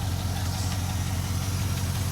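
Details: Rarely driven truck with a new battery and disconnect switch: a steady, even low idle rumble with no knocks, misses or ticks. The engine is idling smoothly.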